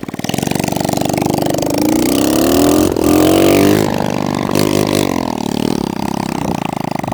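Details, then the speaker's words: Kawasaki KLX110 pit bike revived at no cost, first start, likely no oil, exhaust not fitted: loud, raw, sharp popping from the open exhaust port, rising in pitch as revved; engine running without exhaust. "oh my God I forgot to put the exhaust on just started dude"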